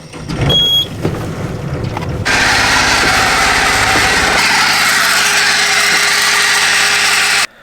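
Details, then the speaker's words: Small Volvo marine diesel in a sailboat, idle after start: loud, steady high-pitched screech throughout, likely from the loose alternator belt slipping, dust visible around it; alternator belt squeal. "so that was not as much a weird sound as it was a terrible high awful sound i think it's coming from the belt so this is the belt right here it's connected to the alternator which then again whenever the engine is moving around charge the batteries"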